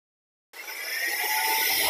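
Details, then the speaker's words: Mercedes with DTC P0410: after the fault code is cleared, the secondary air pump is actuated and starts abruptly into a steady high whir that settles to an even pitch. The pump works normally. "can hear it it's working now when it's operating i will feel the suctions that it makes"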